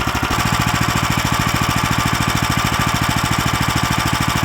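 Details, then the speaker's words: Lifan LF390QE Pro heavy-duty single-cylinder engine, newly fitted as a replacement on a flail mower and running outdoors on a cold day: steady, even thump at roughly three firings a second, no knock or miss; normal running. "but there we have it the life an FF 3 9 TQ e Pro which is the heavy duty version starts and runs fine"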